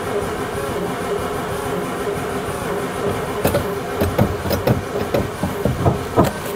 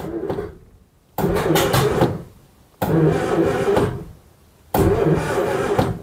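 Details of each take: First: 1950s Daimler Consort barn find, sat for decades: the starter churns steadily, then uneven chuffs that never catch despite brake-cleaner spray. It cranks but won't fire. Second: Daimler Consort barn find, unstarted for decades, in neutral: three short even cranking bursts of about a second each, starter spins engine freely with no binding, not seized.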